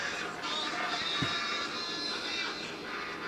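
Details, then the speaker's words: 1963 Arvin 32R43 AM/FM radio out of its cabinet on a test speaker: music sounds thin and tinny with almost no bass and a harsh edge. The audio output transformer was left out, causing an impedance mismatch; it improves once connected. "that I left the audio output transformer out of the equation oops so a bit better nee that impedance matching"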